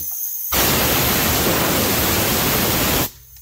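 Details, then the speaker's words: Air compressor: a whistling from the compressor head, then a sudden loud rush of escaping air lasting about two and a half seconds before cutting off, which turned out to be the safety relief valve blowing off. "foreign so you can probably hear a whistling noise it's coming from somewhere on the head of the compressor might be the safety release that I'm not sure"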